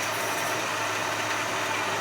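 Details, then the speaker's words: 1956 Chevy, not run for 7 years, after a carburetor rebuild, still cold: a steady, even idle with a smooth low hum and no misses or knocks; it runs cleanly and sounds good. "That sounds pretty good to me. Yeah, it's not warm yet."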